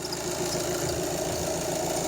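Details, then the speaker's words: VW Golf 7 2.0 TDI CLH (EA288) idling: a steady high squeal over the diesel clatter from a factory-defective timing belt tensioner pulley; replacing the pulley stops the squeal. "To jest ten nowy silnik na piszczenie, posłuchajcie. I przyczyną tego piszczenia jest rolka napinająca pasek rozrządu. Jest to usterka i wada fabryczna tej rolki."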